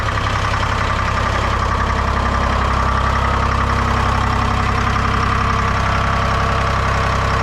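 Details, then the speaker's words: Lull telehandler with a Detroit Diesel 3-53 two-stroke that would not start (starter only clicked), after a new battery box and cables: cranks strongly, then a loud, tight, steady diesel beat with no stumbles; running healthy. "so let's see if it starts. Cranks like a bastard. These are runner."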